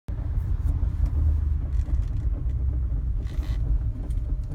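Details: Toyota Prius engine: deep uneven rumble with irregular low thumps and shudder as it pulls; rough, lumpy running from an engine misfire.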